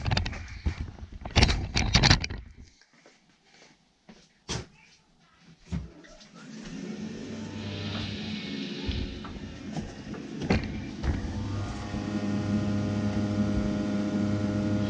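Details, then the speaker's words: Rinnai tankless water heater throwing error code 10, before blower replacement: after some knocking, the blower spins up to a steady hum with a deep rumbling vibration. Owner suspects a worn blower motor bearing that can't ventilate well is causing the code. "and then what I think is happening it'll actually throw up ten code on here and I think that's from the bearing not being able to pull and ventilate well"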